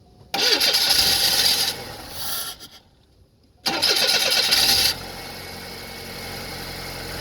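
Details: Engine with a starting problem, cause unknown; two long cranking bursts of about a second and a half each with a pause, before it finally catches to a quiet idle.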